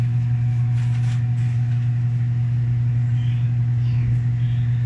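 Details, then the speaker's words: Electrolux 8 kg automatic washing machine spin cycle, smooth steady low hum with no banging after repair; previously knocked against all sides during spin dry. "so nawala na yung kalabog niya anan fix"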